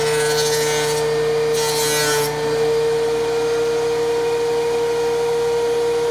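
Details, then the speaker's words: DeWalt 735 planer after chip ejector impeller repair, one test pass on a maple scrap: a steady, even hum with a smooth cutting hiss and no rattle, much quieter than before the repair; normal planer cutting pass. "you can see the machine's running good again um it's much quieter than it was before the repair"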